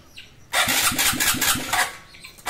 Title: XRM 125 F.i needs Engines Refresh (Ayaw mag idle at Hard Starting)